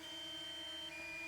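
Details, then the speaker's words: DJI Mini 2 controller low-battery alarm at 20% then 19% battery after 21.5 minutes of flight in wind: steady high electronic tone with a step in pitch, no motor underneath; beeps continuously for rest of flight. "And it did that whenever we got to 20%. So we're at 20%, 19% now. We've been going for 21 and a half minutes, so it's just going to keep beeping at me the rest of the flight."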